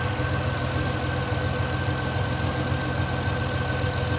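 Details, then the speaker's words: Vintage Ferrari 330 GTC after an upgraded cooling fan install, warm idle after a drive on a roughly 75-80°F day: steady fan whir over an even engine beat; fans set at 85°, cycling on and keeping it cool. "So it's like a 75, 80 degree day. And you can hear now the fans are running"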